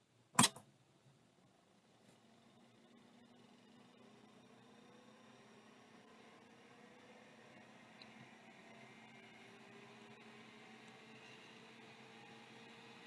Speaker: bearings are quiet sounds like it's working